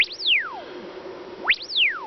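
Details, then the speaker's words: PAM8403 class-D amplifier module on a 5 V test board, fed by a Rigol generator sweeping 20 Hz to 10 kHz: a clean, repeating tone sweep with no buzz, crackle or dropouts. The amplifier works properly. "Donc voilà, on voit que là il vobule de 20 Hz à 10 kHz. Voilà, ça marche très bien."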